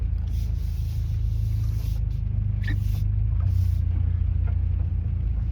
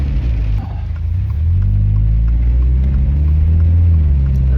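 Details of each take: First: Car with newly installed aftermarket Annex rear suspension on test drive: low road rumble with sharp irregular rattles and clacks over bumps; something seems loose, cause unknown. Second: Car after reinstalling OEM rear shocks/suspension: steady low road rumble with one soft thump over a bump, no rattle or clunk; suspension sounds tight and healthy.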